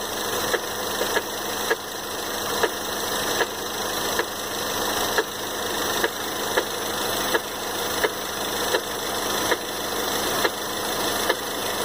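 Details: 2013 Ford Fusion 2.0L EcoBoost at idle, sharp knock roughly once a second over steady engine hum; engine knock being troubleshot.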